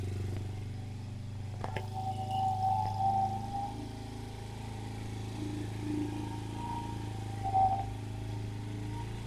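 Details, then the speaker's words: 2007 Kawasaki KFX50 four-stroke 50cc quad, after replacing the CDI and fixing a fuse, catches and settles into a low, steady, slightly uneven putter running on its own; normal running. "no way oh man was I excited to hear that thing running"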